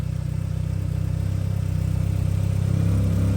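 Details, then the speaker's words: 1991 Mitsubishi 3000GT VR4 with new full 3-inch turbo-back exhaust, warmed up: smooth, even note climbing in pitch with throttle, no knocks or ticks, no smoke; healthy engine revving. "Everything's good. There's no smoking. There's nothing really."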